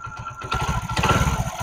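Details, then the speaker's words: Honda Pridor 100cc motorcycle after opening the magnet (magneto) cover to fix an engine noise; catches and settles into an even single-cylinder beat with no rattle. Normal idle. "इसका magnet खोलेंगे भाई और आप देख सकते हैं कितना प्यारा साउंड हो गया"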